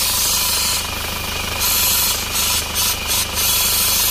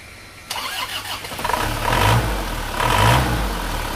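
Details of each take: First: Isuzu Panther diesel at low idle with a loud steady high-pitched hiss from the PCV valve in the valve cover, stuck closed and clogged; blow-by pressure blasts out when the dipstick is pulled. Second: Isuzu Panther diesel after the clogged PCV valve in the valve cover was repaired: it cranks briefly, catches and settles into a steady low idle, with no more hissing and no air pressure at the dipstick or oil filler.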